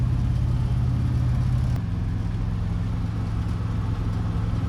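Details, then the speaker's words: 1972 International Cargostar, old petrol engine on first drive: low uneven beat that sags as if dying, possible backfire, runs poorly; cause not yet found. "right there it sounds like maybe as a backfire it dying yeah you should have said anything it doesn't run very good"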